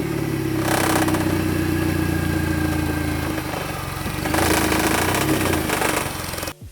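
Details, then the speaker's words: Mini Cooper S R53 petrol idling: buzzy metallic rattle over the hum, first thought to be the exhaust, from a completely corroded loose exhaust heat shield, to be removed. "it gives the flock quite an annoying noise which i'm going to go and rip it off now just so it's done and dusted just because it's quite irritating i thought it was the exhaust i've never really heard of milted close up but it is just that heat shield"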